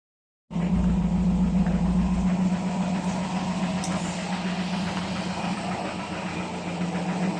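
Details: Older carbureted petrol car after full carburetor service, idle test: fairly steady idle with even low hum and slight unevenness; more stable than the earlier rough idle, throttle response improved without hesitation, not yet perfect.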